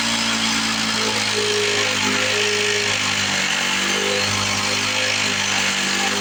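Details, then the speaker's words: 1970 Lawn-Boy Buttercup two-stroke mower (model ~30237), run after carb spray cleaning: buzzing pitch drifts up and down every second or so, surging idle; owner suspects old gummed fuel or a sticking needle valve in the carburetor. "working through some carburetor trouble probably some of that old nasty fuel being a little gummed up you hear the RPMs going up and down up and down start that needle valve sticking a little bit or the crappy fuel getting in there bringing the RPM down"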